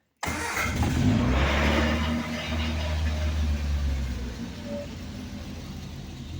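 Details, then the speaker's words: 1970s Triumph Spitfire, started after sitting a couple of days: catches quickly and settles into a steady, even low idle with no knocks or misses; runs well. "She sounds good. She's a runner. Yeah. Good running old car."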